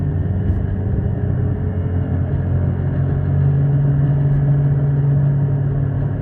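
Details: Rust Belt Chevy Impala project car on first test drive after rear suspension repair: low heavy rumble with steady drone at slow speed, loud growl from the front, suspected worn wheel bearings.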